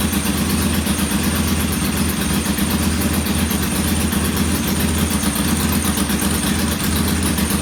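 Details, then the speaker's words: Norton P11 twin first start after carburetor rebuild and fresh fuel, kick-started: thumps about four beats a second unevenly, one cylinder lagging; rough idle, pilot jet not following adjustment, to be cleaned again. "I'm going to clean this pilot jet one more time."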